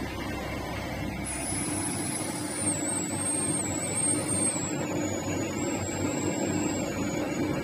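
Steady even mechanical hum with a thin high whistle that drifts slightly in pitch, no knocks or catches; the machine runs smoothly.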